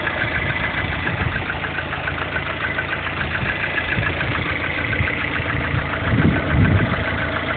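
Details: Lada Kalina 1.4 16-valve engine at rough idle: dull uneven knocking under the engine note with a few heavier thumps near the end; engine knock, cause unclear.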